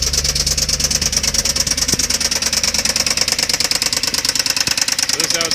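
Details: Jaguar engine after cheap high-mileage oil change and Dura-Lube additive: loud, sharp, even metallic knocking about three raps a second over idle, heavy bottom-end knock; additive barely helped, cause unconfirmed.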